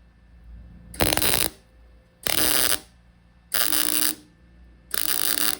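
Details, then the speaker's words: MIG tack welding a Mark IV Ford Escort body onto a Mazda MX5 chassis for an RWD body swap: four harsh, spitting half-second arc bursts giving too thick a bead. Welder suspects wire speed is a bit high. "Turn the temperature down a little bit, but I think the wire speed's a little bit high because it's just getting a bit too thick of a bead."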